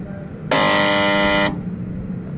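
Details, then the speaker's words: AC compressor that won't start: loud, harsh electrical buzz for about a second then abrupt cutoff, locked-rotor hum of a seized compressor; technician plans to replace the 35 µF capacitor with a 50 µF one. "bisa dilihat kondisi kompresornya ngejam, tidak bisa start."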